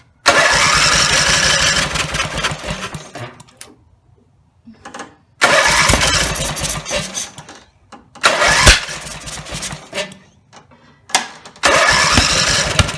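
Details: Briggs & Stratton 17HP engine after full rebuild (carb rebuilt, plugs, sump, oil slinger, valves reseated, gaskets): starts and screams at full throttle, then sputters and dies within seconds as throttle drops toward idle, three times; won't idle. Owner suspects throttle linkage lever off its screw.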